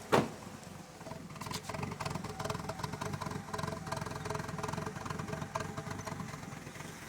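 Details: Honda B18C1 with a 3-bar MAP sensor, 450cc injectors and chipped ECU, cold start: catches, then idles low, lumpy and stumbling, running very rich with smoke; cause was poorly wrapped MAP sensor wires making a bad connection.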